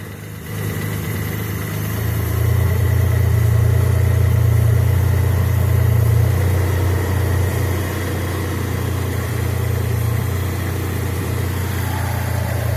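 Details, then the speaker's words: Carbureted engine warmed up (water temp gauge 60), idling high, carb cleaner sprayed around siliconed carburetor adapter gasket; steady even idle hum rises when sprayed, showing vacuum leak past gasket and silicone. "And see how it's sped up? It's drawn air past the gasket and this little line of silicon carney."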